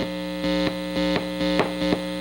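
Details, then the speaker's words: Restored and modded 1960 Airline Model 8503 tube amplifier: a constant low buzzing hum with a hard edge and small swells, quieter when the chassis is touched. Mains hum; owner suspects improper chassis grounding, not confirmed. "all right now one thing I'm noticing is there's a lot of noise on this and I touch the chassis"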